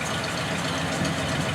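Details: 1936 Ford Roadster with old flathead engine, newly built after a year's wait for parts, idling steady and even with a soft low rumble, no tapping or stumbling; engine sounds healthy.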